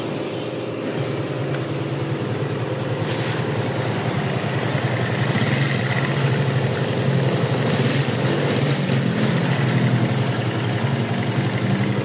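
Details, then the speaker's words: Yamaha Jupiter Z, dead over a year with no compression and previously rough and smoky, after engine rebuild, first kick start: small single ticks over evenly at steady idle, no knocking or bottom-end clatter; runs smooth and normal. "ya untuk suara sudah halus ya tuh ya sekarang motornya sudah nyala dan nyala halus normal ya"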